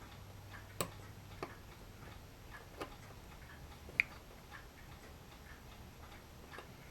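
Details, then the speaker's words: Faint irregular sharp ticks a few seconds apart in a quiet room: a hot spotlight's housing expanding from its own heat, harmless thermal expansion ticking. "oh by the way that ticking that you hear that's my spotlight expanding in the heat from the heat of the spotlight"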